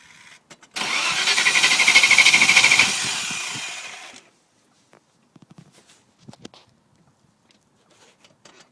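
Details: V8 engine cranking fast for about three and a half seconds without catching; turns over but won't start.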